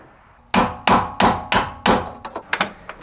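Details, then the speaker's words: HSV VR Senator door after fitting a new striker with its pin drilled out and heavy greasing. Five sharp metallic slams then lighter rattling knocks as the latch catches; still a little noisy but better than before, door latch clunk. "now I'll be honest as you can can hear it's still a little bit noisy definitely not like it was before but better"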